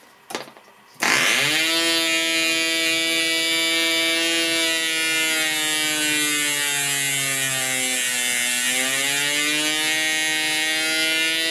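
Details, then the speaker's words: Progress Aero Works .55 model engine, compression screw increased past optimum: high buzzing revs sag and the engine labours, then climb back as compression eases; over-compression is bad for the engine. "when I increase the compression you could hear the engine revs die and the engine start to labor that's bad for the engine"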